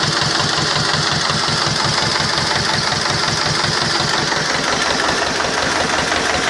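Even diesel clatter at a steady idle, about three firing pulses a second, no misses or knocks; engine running healthy.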